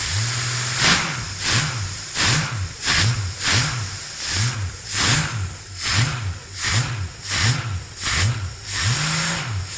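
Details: Experimental aircraft engine with Rotec TBI, primed and purged, throttle cracked slightly, mixture full rich: catches cleanly, settles to steady run with even rhythmic pulse about 85 a minute; sounds healthy.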